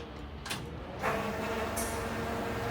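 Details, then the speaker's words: '54 Chevy with Holley after engine-bay rewiring, key on before cranking: faint steady hum of electric fuel pump priming for a couple of seconds under clatter; owner suspected dry pumps, but no-start was an unplugged distributor. "hear the fuel pump oh the air system's trying to do its thing"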